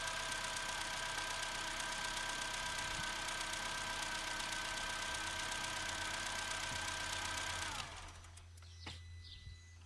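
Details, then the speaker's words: Opel Corsa C 1.2 16V (55 kW) petrol, engine cold after a couple of hours, after spraying connectors: starts first time, smooth steady idle with constant whine, no misses, switched off cleanly. "Here, it looks like we managed to resolve the situation. The car started at first."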